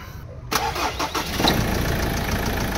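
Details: 2016 Ford Ranger diesel after replacing the EGR cooler and injector washers, which had caused white exhaust smoke on cold start, coolant loss and dipstick smoke. Brief crank, then it catches at once into a steady, even idle; no more dipstick smoke.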